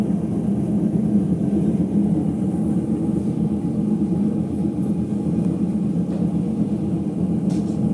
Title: Ipso HF 65 commercial washer final spin with bad bearings